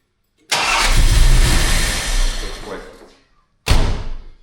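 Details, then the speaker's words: Jaguar XJ6 engine, out of gear, no coolant in, idle speed and airflow not yet set; brief crank catches straight away, runs too fast then settles, second quick start: starts on the key. "I just started it. And you can hear it's running too quick, [Music] but but it's starting off the key."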